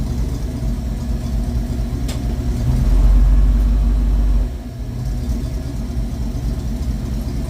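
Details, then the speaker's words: 1972 Ford Mach 1 V8 with stock cam, restored, about 200 km driven, coolant just topped up; smooth even idle and clean rev without misses or knocks, docile but runs nice. "You can hear again how boring it is with the stock cam, but man, does it ever run nice."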